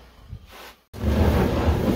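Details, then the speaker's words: Maytag Centennial dryer after repairing a heating element that stayed on: a brief pause, then a steady low tumbling rumble with no scraping or thumping and warm air inside; normal dryer running. "back in business I just here in a second we're going to make sure that this heating element's working but it is warm in there so it is working"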